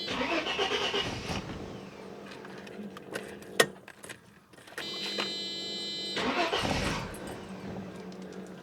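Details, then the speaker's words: 1995 Mercedes E320 Cabriolet (W124) after sitting 19 years, first start after fresh oil change: long uneven cranking with patchy churn before the engine finally catches and runs; extended cranking, hard start. "Well, it's not going very well. Here she goes. Now she's looking good."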